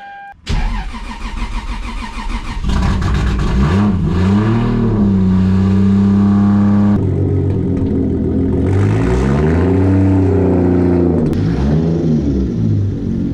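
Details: 1993–1998 Toyota Supra after starter rebuild with cleaned solenoid plunger: quick clean crank, engine catches at once and revs smoothly before settling; starter now works.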